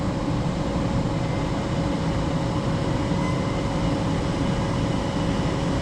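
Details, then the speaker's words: Furnace after installation restarting heat after the limit switch signals the board, with the inducer motor just turned on. A continuous even roar with a faint steady tone and no bangs, rattles or surging: normal furnace operation. "Only downfall about this is that there's no hourglass to see like the constant flame, but I mean you can hear it, so I mean that's fine. My heater just started."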